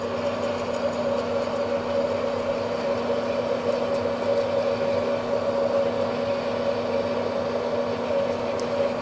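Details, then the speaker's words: Manual lathe, parting tool fed by hand into a Hardtail vise acme nut, speed dropped to 50 RPM to get under the chatter: steady, hard mid-pitched ring holds through the cut as the parting tool chatters. "So, I'm going to feed it in there a little harder. [Laughter] It's still trying to chatter. Let me go down another speed here."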